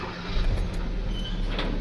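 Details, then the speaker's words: Kia Cerato with a steering noise, after the steering motor was opened and refitted, engine running: smooth, even low hum with no groan, whine or clunk when steering; power steering now silent. "देख सकते हैं कहीं पर भी कोई भी आवाज नहीं है। साइलेंट है।"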